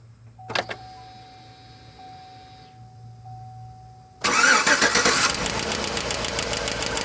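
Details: GM 5.3 L V8 with AFM after repeated lifter, rocker arm and pushrod replacement, started and idling with valve cover off: steady idle with quick sharp tapping on top; valvetrain noise persists from a loose rocker arm with excessive play on cylinder 6.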